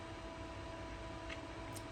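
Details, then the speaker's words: 2008 Mac Pro restarting during a Monterey install: a constant airy roar with a faint hum beneath that never eases off. The exhaust fan ramps to full speed for an unknown reason and is normally controlled by a fan control app only once booted. "If you're wondering what that sound is in the background, it's the fans. The exhaust fan on this machine does tend to ramp up and run at full speed."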